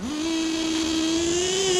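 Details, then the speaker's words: Nitro RC LST truck with LRP .32 Spec 4 engine, running lean after a carb rebuild: sharp high-pitched revving that levels off with a small dip as the two-speed gearbox upshifts far too early. "I can't get it to shift later. No matter what I do, it just doesn't go later. Like, it shifted right there."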